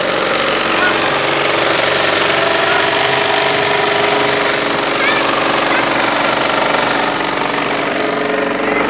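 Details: Fiat Uno engine making a strange noise: quick, fairly regular metallic tapping about four per second over a hissy engine; cause unidentified.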